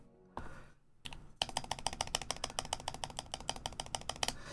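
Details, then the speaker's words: Neo Ergo keyboard after adding lube to the stabilizers a little at a time: quick run of crisp, even keystrokes with clean bottom-outs and no ticking or rattle; the stabilized key now sounds healthy. "Oh, there it is. It's already there. There's no more ticking."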